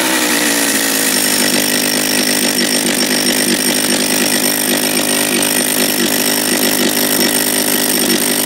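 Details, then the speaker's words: John Deere EV45 chainsaw just after a carburetor rebuild with new diaphragm, started on choke with throttle locked; fires right up and settles into a steady high buzz, pitch climbing slightly then holding; running normally. "so lock the throttle turn the switch off pull the choke out it's got no brakes be careful fired right up"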